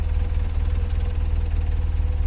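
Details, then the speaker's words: Cheap eBay motorcycle, twin engine, idling on a frosty winter morning before a commute: rapid, uneven low thumping under the exhaust beat; abnormal engine noise at idle, cause unknown. "can you hear that it's not meant to make that noise I might have made a massive mistake here"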